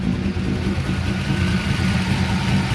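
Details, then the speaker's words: C5 Corvette Z06, warm after 10–15 minutes of driving; steady even engine hum with no chirp or squeal — serpentine belt quiet now, though it squeaks on cold morning starts. "Now, I've been driving for a little while today, not long, 10-15 minutes, and so you can't hear it"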